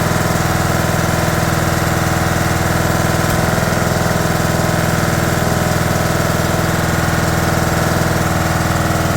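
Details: 2011 John Deere D110 mower, engine reassembled from boxed parts, restarted off choke, throttle cable not hooked up, expected to smoke: steady even single-cylinder idle with smooth low thump, no knocks or misses; runs good.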